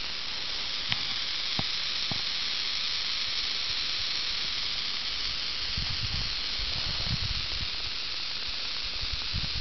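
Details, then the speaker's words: Maple sap vacuum tubing system: a constant airy hiss of air sucking in around a stainless spout, a vacuum leak; the fix tried is re-tapping the spout or clipping the tubing fresh to reseal it. "all right here's one here so you can see it's racing pretty hard right through there now i'm going to be quiet but you listen you'll hear it leaking"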